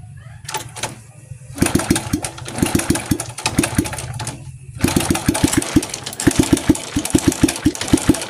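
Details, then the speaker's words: Indonesian motorcycle with a loose cam chain; worn clutch shoes and clutch bell are also suspected. Repeated starting bursts lead to an uneven idle with sharp, irregular metallic ticking over the engine, heard before teardown. This is cam chain rattle. "Nah, Guys, di sini telah sama-sama kita dengar bahwa suara musinnya itu karuan, suara timbul, nada kasar. Itu adalah suara rantai temeng."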